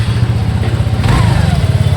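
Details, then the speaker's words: TVS NTORQ 125 BS6 scooter, after repair: low, smooth, even idle putter with no ticking or rattle, because the slightly loose starter one-way clutch was fixed and the tappets were adjusted; noise gone, normal idle. "देख सकते हैं आप आवाज बिल्कुल बंद हो गया है। आवाज आपको सुनाई नहीं दे रहा है। अभी गाड़ी ओके हो गया है।"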